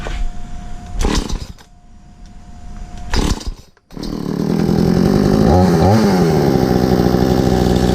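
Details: Stark Chinese chainsaw after ignition coil replacement, restart test: a couple of pulls, catches and settles into steady idle with one brief blip; starts and runs fine.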